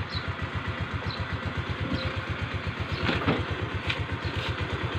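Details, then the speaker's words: Rusi Gala scooter after its V-belt, hardened by CVT heat and causing a rubbing noise, was replaced. A steady putt-putt idle at about five beats a second with no rubbing or scraping from the CVT side; the noise is gone. "so napating niyo naman mga sir bale nawala na ngayong tunog so test drive muna natin"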